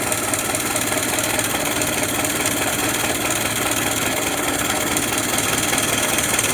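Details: 103-year-old 1915 Ford Model T four-cylinder with four buzz-coil ignition, just started: loud, steady, even fast idle with no misses or surging; running healthy.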